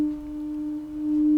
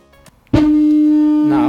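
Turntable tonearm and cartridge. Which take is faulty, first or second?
second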